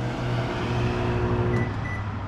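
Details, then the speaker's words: GE microwave that does not heat food makes a steady, heavy low buzz, louder and coarser than its normal hum; a faulty magnetron is suspected, not confirmed. "Um, it's not heating anything up and it makes a loud buzzing noise. Louder than normal."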